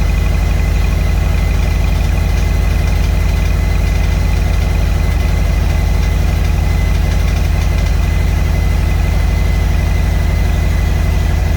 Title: 2021 Roadglide Special making rattling noises